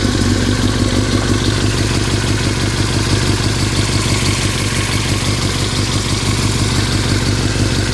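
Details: 2003 Yamaha R6 at steady idle, rattling since a recent trip to Europe: loose metallic clatter about three rattles a second; owner unsure if normal or if performance is affected; engine rattle at idle, cause unknown.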